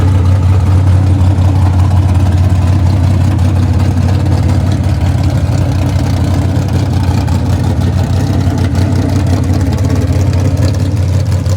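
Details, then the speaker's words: Small-block Camaro cold start after sitting three weeks, running open straight headers: loud, deep, uneven lope from a choppy cam, steady at idle. Normal lumpy cam idle. "but that's cool because we get to hear it straight open header with this choppy Cam that has literally been sitting for three weeks"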